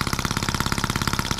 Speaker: oh we had it looks promising that crazy thing runs pretty good a bit fast but listen to it before it was great